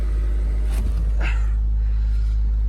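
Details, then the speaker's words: Flexus (Focus-based twin-turbo V8 project) donor car started with a boost pack after a dead battery: low, steady, quiet idle with no knocks, ticks or misses; sounds healthy. "So hopefully now it will start straight up. Oh, listen to how quiet it is."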